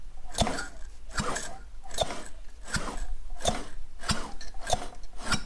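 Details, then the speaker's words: DKW Hobby moped barn find, 65 years off the road, engine turned over by hand with oil added to the bore: slow, even, firm puffs about every 0.7 seconds, showing good compression. "loads of compression? That's great, isn't it? I know the oil down the ball will help"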